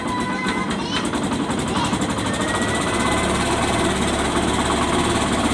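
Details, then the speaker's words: Yamaha YTX 125 single-cylinder, still cold, idling after tune-up and valve clearance adjustment (intake 0.08, exhaust 0.10) meant to cure earlier noise: quick, even ticking beat under music, runs steadily; sounds normal. "Medyo hindi pa mainit yung makina niya guys kasi malamig galing"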